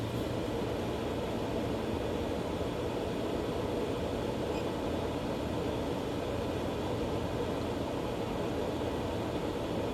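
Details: Green Mountain Grill Jim Bowie Choice after cleaning out and reassembling a non-working auger: auger now turns but motor makes loud constant droning hum with harsh rushing edge; cause unclear.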